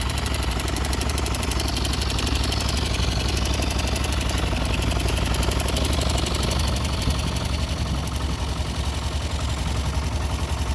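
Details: YB single-cylinder motorcycle idling steadily with a faint, uneven light tapping over the exhaust beat; abnormal engine noise, source not clear.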